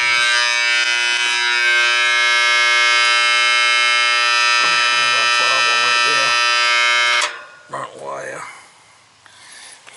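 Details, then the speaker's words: Air conditioner condenser, 2.5-ton, no-cooling call with tripped breaker and burnt compressor wire: loud harsh steady electrical buzz about seven seconds then abrupt cutoff; bad contactor humming, replaced along with rewiring terminal. "see that contactor was bad it was making all kinds of humming noises and stuff"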